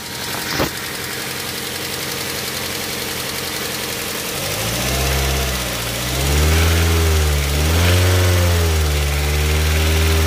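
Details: Daihatsu Xenia engine that previously sounded rough like a sewing machine, after the valve lifters were replaced (camshaft removed, head left on), microphone held close: quiet, even idle and smooth revs with no top-end ticking.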